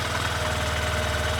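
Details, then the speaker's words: 2026 Honda CB125F single-cylinder motorcycle idling in neutral after valve clearance adjustment: steady, even thump, no strange noises. "No, no strange noises."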